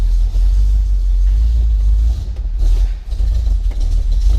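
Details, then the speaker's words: 1968 International Harvester Travelall 1100 half-ton V8 after sitting two weeks, cold start with choke half out and a pump of gas: low, heavy rumble idling steadily with no knocks or misses, left to warm up; cold start works good. "You really want it to warm up a little bit before you start hitting on the gas. There we go. So, yeah. Cold start works good"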